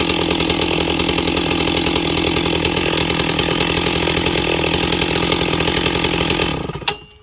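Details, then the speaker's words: Ported Stihl 028 Wood Boss chainsaw at a steady fast idle around 2,400–2,600 rpm wavering slightly, then cutting out; idle correctly set. "You can clearly hear it's at idle. It's around 2600 RPM, 24 to 26, back and forth."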